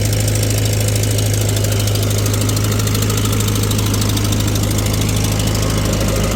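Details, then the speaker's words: 1948 Farmall C tractor, former parade tractor, hot on a dyno, pulling 15 hp via PTO under steady load: low drone with sharp puffing tick about two per second; leaking exhaust manifold. "Just a nice, good load on it. But boy, that exhaust manifold is about driving me nuts listening to that."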